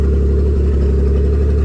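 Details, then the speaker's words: Nissan 300ZX (92) with a swapped twin-turbo six, cold, just after the igniter was plugged in: steady, even low rumble with no skips, good cold idle from the idle air control, running on all six; normal. "We're getting a good idle from the idle air control while it's cold."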